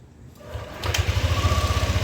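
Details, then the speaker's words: Yamaha NMAX V2 scooter after replacing the crushed cam bearing, gaskets and O-rings at radiator hose, thermostat and water pump: fires and settles into a quick, even idle with no tapping or earlier chirping; now quiet and healthy. "Alri so ito na okay na ang tahimik naman sir. Okay na tahimik."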